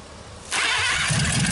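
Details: 1956 Packard 374, formerly stuck, first run in years, burning off oil: brief quiet, then catches and settles into a steady, even rumble with no knocking or ticking; normal running.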